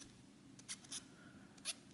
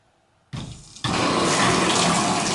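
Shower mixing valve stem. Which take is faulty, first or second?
first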